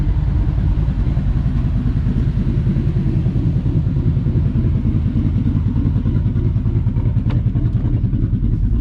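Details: Ford F150 on Multitune, Ghost Cam lobe idle in tune slot 2, heard from outside: a deep, choppy idle with an uneven loping pulse about three times a second, running steady; lopey cam-style idle tune.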